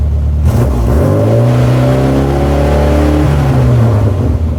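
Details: Mini running and revving cleanly with smooth climbing pitch, no hunting or hiss, after replacing disintegrated rubber vacuum elbows on the MAP sensor and air bypass sensor that had caused limp mode; vacuum leaks fixed, normal running.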